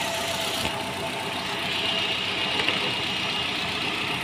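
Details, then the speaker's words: Nissan Rogue idling unevenly with a rough, hissy beat and stumbles, loss of power, P0300; cylinder 4 dead because the computer sends no trigger pulse to injector 4 (cavity 29), though injector supply power is present. "Al momento de realizar las pruebas, nos percatamos de que el vehículo presenta un problema en el cilindro 4. Esto es derivado a causa del inyector. El inyector número 4 no está activando."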